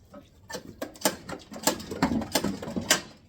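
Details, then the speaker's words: Craftsman snowblower stored a decade in a shed, tried on electric start then recoil: irregular dry clacks and scrapes, starter not engaging, no cranking rhythm; engine seized, locked up by rodents. "uh it is electric start you can hear it's not really engaging nothing really happens try to pull on"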